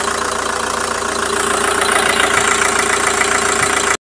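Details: TDI diesel that would not start, now running after the fuel filter was bypassed, the tank fuel sender cleaned and the injectors bled of air: an even, quick diesel clatter at steady idle with no stumble, running smoothly.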